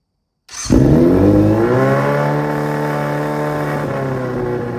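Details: Restored Yamaha Fazer 600 motorcycle, previously chopped frame and missing parts, first start in about three years: fires straight up, revs climb smoothly, then settles into a clean, even run with no knocks or misses; healthy engine.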